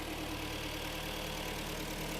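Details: Hyundai/Kia G4KD petrol engine just after overhaul, AC compressor whistle now gone: even, steady idle with a smooth low hum, no whistle or knock; normal idle.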